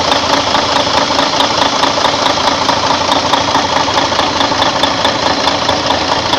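Steady, even diesel idle with a light regular clatter at about 94 per minute and no misses; the engine runs healthy.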